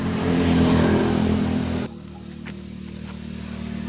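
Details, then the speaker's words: Suzuki Satria FU 150 single-cylinder idling before valve adjustment: loud, busy idle that sags abruptly and hunts unevenly. The idle is unstable and changes between cold and hot, with the exhaust valve clearance too tight. "Well, for this kind of valve setting condition, the engine is really smooth when it's on, but it's flattening, Bro, especially for the valve adjustment part, the exhaust valve is too tight."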